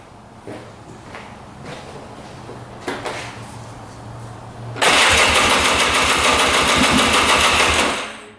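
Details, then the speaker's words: 2002 Polaris Scrambler 400 4x4, stored five years: starter cranks steadily but engine won't fire; earlier it started briefly with white smoke then died, plug soaking wet with what looks like water; owner suspects coolant entering cylinder, blown head gasket. "it starts up and then just dies and then we'll take the plug out and it will be super wet so we're going to try to fire it up again and you'll see that it does not"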